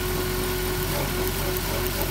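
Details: 2007 Dodge Grand Caravan at idle: uneven stumbling misfire from spark plug wire number two arcing to the engine block through a damaged boot; fix is replacing the plug wires.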